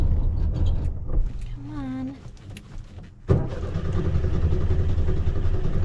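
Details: VW Bug on a late night: after a quiet start the starter churns steadily at about two and a half beats per second while the pedal is pumped, but the engine never catches; crank, no start.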